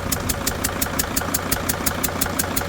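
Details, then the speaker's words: Freightliner van diesel, stripped injector bolt temporarily held, fuel spray eliminated: idle with a sharp even tick about six a second over a slightly lumpy beat; one cylinder dead. "You can tell it's not spray fuel everywhere. That's good. All right, so that problem, the fuel spray everywhere problem is eliminated."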